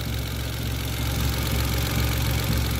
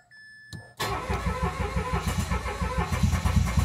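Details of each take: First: Mitsubishi Mirage G4 sedan after fixing a no-start from a locked throttle body stepper motor and dirty spark plugs, with no trouble codes. Steady, even low idle, smooth hum, no knocks, ticks or hunting: normal idle. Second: Mitsubishi Mirage G4 sedan with crank-no-start: strong, even cranking about three beats a second for five seconds without firing; mechanic suspects a locked electronic throttle body butterfly not opening.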